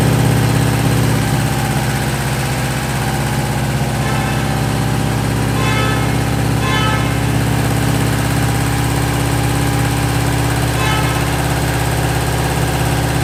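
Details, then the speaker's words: Subaru Impreza with freshly rebuilt engine on EJ207 block, first start: steady low idle with a light, even tappet tick; owner suspects heads sat unused so oil hasn't reached the tappets yet, not confirmed. "It's a little bit tappety, but I think that's just because the heads have been sat around for so long that the oil hasn't really got into the tappets yet."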